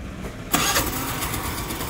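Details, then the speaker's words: Hero Maestro Edge 125 scooter after a battery change, where a faulty starter relay had kept the self-start running continuously: a short crank catches at once and settles into an even, steady idle; self-start now works cleanly. "Okay, self కూడా క్లియర్గా ఓకేనే చూసుకోవచ్చు. Running condition కదా వచ్చింది vehicle, problem ఏం లేదు."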